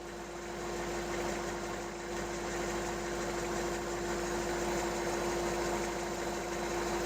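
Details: Hyundai 30L-7M forklift, GM 3L engine with GCP fuel system, just after clearing the code from the DEPR losing ECM communication (extremely rich running), still in open loop: even, steady idle, much smoother, less shaking; normal idle.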